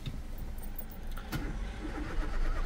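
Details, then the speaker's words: 2018 Citroën C1 refusing to start: low steady churn as the starter turns the engine over but it never fires; diagnosis shows U0100, no communication with the engine ECU, cause not yet found. "on entend le moteur quiessie de tourner le véhicule qui démarre pas on a le calculateur moteur qui ne répond pas"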